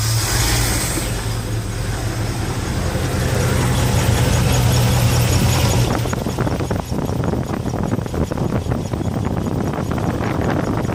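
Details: Chevrolet 454 carbureted V8 idling after fixes: blocked air filter, air leak into fuel line from tank stopped; deep steady rumble, even idle, no misses, stumbles or surging; normal idle.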